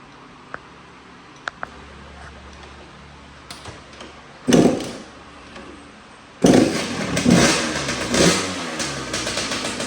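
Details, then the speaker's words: 2004 Kawasaki KX85 two-stroke, stock bore, after a top end rebuild, started on the second kick, smoking, with a shorty pipe; revs in crisp, clean blips that drop back freely, sounds far better than before. Normal running. "But yeah, it starts. It sounds a million times better."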